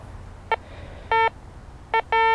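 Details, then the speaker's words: Harbor Freight 9-function metal detector with discrimination set halfway; foil barely picked up, four short clean electronic beeps: normal target tone at mid discrimination. "so it barely picks up the full when it's halfway"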